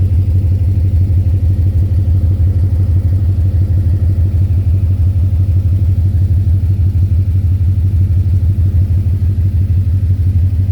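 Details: 2010 Ford Mustang GT V8 at idle: a deep, steady knock about three a second, louder near the oil pan and the torque converter/transmission; owner was told rod knock or lifter tick and suspects a loose torque converter; unconfirmed.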